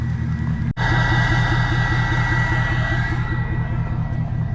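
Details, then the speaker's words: Diesel at operating temperature on first start after a new No Limit Fab turbo, S&S DCR conversion and GDP piping kit: even, steady idle clatter with a regular low pulse, no knocks or misses. Normal warm idle. "that sounds so good I'm so stoked on this"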